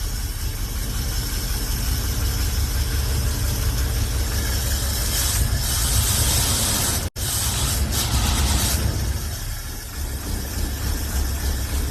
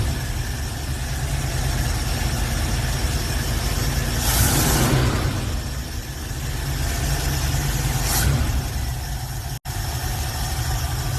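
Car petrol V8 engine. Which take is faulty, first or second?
first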